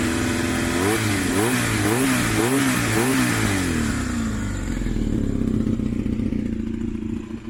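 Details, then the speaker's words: Honda VFR400 (converted RS400 look) at low revs with throttle blips: light ticking clatter at low rpm, gone at high revs; owner thinks it comes from the top end, valve area, but is unsure, possibly bearing-like. "มันดังแก๊กๆเหมือนชาร์จจะละลายนะครับแต่ว่าผมตั้งใจฟังดีๆแล้วมันเหมือนมันมาจากช่วงบนนะครับช่วงวาล์ว"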